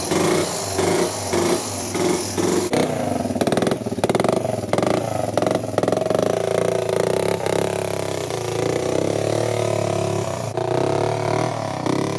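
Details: 2002 Yamaha Breeze 125 quad after top-end rebuild (new valves, piston rings, gaskets) following a bent valve from over-revving: buzz rising and falling with throttle, light rapid tick, won't idle; owner suspects timing chain, then finds a blown head gasket leaking oil.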